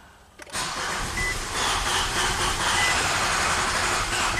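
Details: A 2011 Nissan Sentra with 33,000 miles cranks after fuel-pump priming, then stumbles into a ragged, uneven run that almost catches but never settles. Plugs, coils, fuel pump and converter were already replaced; it runs very rich. The cause is unconfirmed.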